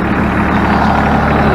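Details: Ford New Holland 1630 three-cylinder diesel tractor idling after repair of the rear remote hydraulic valve leak (re-welded used part suspected missing an O-ring): low steady idle, even beat, no squeal or knock; healthy.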